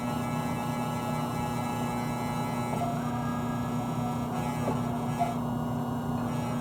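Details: Air conditioner condensing unit running and cooling: steady low electrical buzz, no rhythm change; pressing down stops it; owner suspects fan motor or loose front grille/cover, source unclear.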